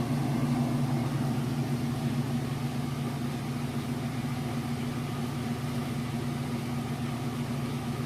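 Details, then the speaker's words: Maytag Centennial heavy-duty super-capacity washer on final spin at full speed, warm super-load cycle: even, steady whir with no thumping, wobble or shaking; smooth, quiet, well-balanced spin. "it should be just about at full speed it's very smooth nice and quiet you can see that it's not bout off balance or shaking or anything like that"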